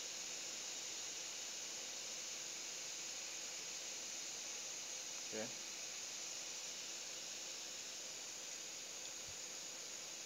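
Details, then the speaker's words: New refrigerator not cooling, filter clogged by ceramic balls blocking the capillary inlet; capillary tested after cutting. Faint, even hiss of gas streaming steadily through the line with no sputter or choking: capillary tube flowing clear. "Oke Anda lihat bunyinya saya akan tes sekali lagi tuh berarti kapiler lancar"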